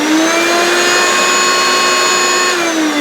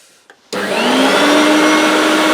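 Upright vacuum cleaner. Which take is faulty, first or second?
first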